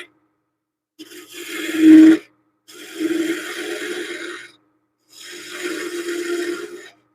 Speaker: That wasn't good. Don't like that. There's a little. Sounds like there's a little ripping going on the wood. I want to make sure it's shearing off nicely.